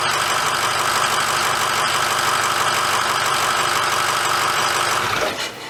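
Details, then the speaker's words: 2006 Ford F350 diesel started after an oil change, idling for a minute: even diesel clatter at steady idle with no odd knocks, then winds down; normal healthy idle. "okay let's start her up and let it run for a minute"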